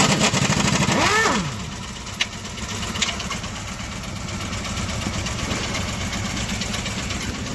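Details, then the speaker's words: Honda City ZX engine at idle with a sharp, intermittent tak-tak knock; engine being opened, oil and water found mixed, internals rusted and sludged from missed oil services; piston knock with damaged block and piston. "इसके इंजन में आवाज़ आ रहा है, टक टक टक सुन सकते हैं आप। ये आवाज़ सुन सकते हैं, टक टक टक मार रहा है।"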